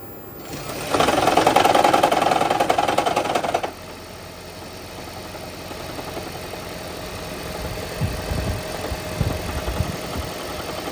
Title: 2012 Toyota Prius loud engine rumble rattle noise upon startup then goes away Blown Head Gasket